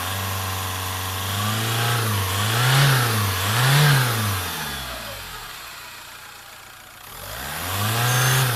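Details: Engine rises and falls with throttle while a high whistle climbs and drops with each rev; suspected turbocharger whistle, not confirmed.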